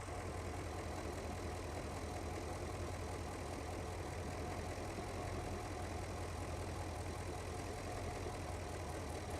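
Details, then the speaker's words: 2009 Porsche Panamera 4S, 4.8 petrol, 294 kW, suspected third-cylinder misfire under compression and spark checks: uneven idle with an irregular stumble breaking the low drone, first cylinder stuttering; rough idle misfire, cause not confirmed. "So you can now see, for example, this is the first cylinder. It's stuttering a bit."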